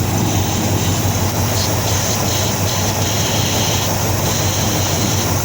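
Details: 1953 Ford Customline with swapped 350 V8, temporary slip-on exhaust pipe, new starter, 87-and-up intake manifold; loud uneven lumpy idle with hissing airy edge; spraying shows intake manifold gasket leaking, gasket possibly misaligned.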